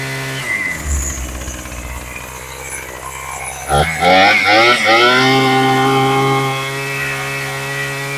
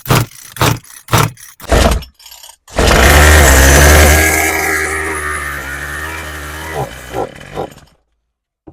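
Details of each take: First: Craftsman 27cc two-stroke string trimmer after carb rebuild, new fuel lines and high/low needle adjustment: catches, revs crisply, then settles into steady, even idle without stumbling; normal idle and revving. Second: Craftsman 27cc string trimmer after carb rebuild and new fuel lines, carb needles being reset: several pulls, catches and buzzes about five seconds then dies; starts then stalls, likely carb adjustment, unconfirmed.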